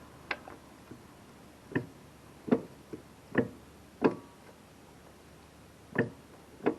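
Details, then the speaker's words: 1975 Yamaha DT 250 enduro engine, cylinder removal, turned slowly by hand: a single dull, nasty clunk each time the piston breaks over top dead center, smooth otherwise; investigating the cause of engine problems. "Right there, as the piston breaks over, makes that nasty clunk. It's pretty smooth, and then you get to there."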